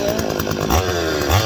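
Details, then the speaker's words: Stihl 025 chainsaw revs up, then sags and falls on its face under each throttle blip, a lean bog. A vacuum leak is suspected, not confirmed, and is being tested by squirting 2-stroke mix around the saw while it runs. "and then you're going to see when I rev it up, it'll rev up and then it'll just fall on its face."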